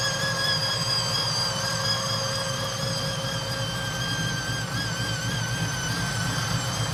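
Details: Chevy Nova pro touring build with a supercharged V8 on a cog-drive blower, dyno tuned; a steady high whine of constant pitch over a lumpy idle. Normal cog-drive supercharger whine.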